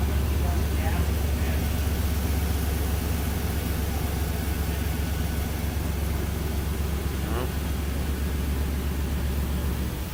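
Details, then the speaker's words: Chevrolet S-10 petrol engine after misfire diagnosis, spark plugs regapped to 0.045 with new distributor: idles with a steady even rumble, much smoother than before. "friend a lot smoother than it was when we hold it in compression"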